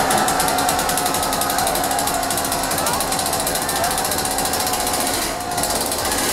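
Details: Husqvarna chainsaw that a small-engine mechanic couldn't start despite new coil, good spark and ether: after carburetor cleaning and fresh fuel, a high buzzy two-stroke note holds steady with only a brief dip; running cleanly and evenly.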